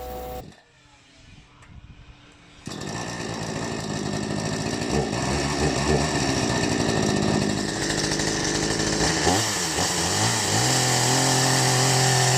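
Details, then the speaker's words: New Ferrex Aldi 45cc two-stroke petrol chainsaw first start: several quiet pull-start attempts, then it catches and settles into an even buzzy run with no misfires; hard to start the first time but running normally. "Starting up this chainsaw for the first time wasn't the easiest task. It took a few efforts before I could finally fire it up, but anyway, it's done now."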